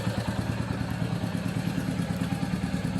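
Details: Royal Enfield BS6 J-platform J1-series single-spark engine (Meteor/Classic 350 type), missing: single-cylinder idle with an uneven beat, pulses dropping or stumbling about three per second; misfire from a corroded, partly blocked plug cap.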